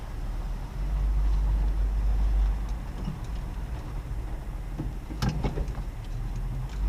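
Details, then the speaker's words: 1975 Chevy Nova, 110 horsepower, very basic car bought at auction, just started, idling: low, soft, even burble with no knocks or ticks, described as so quiet. Normal idle. "it's so quiet guys crank windows 110 horsepower it it really sounds like a rocket taking off it's so it's so quiet except for a constant Shh when you take off"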